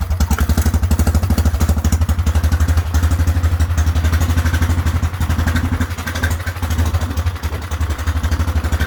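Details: Whizzer small single-cylinder motorbike on a test ride after a new overdrive gear and pulley, clutch broken, shifting up from first: steady rapid beat near four per second pulling evenly through the gears with wind, third gear working best; normal running.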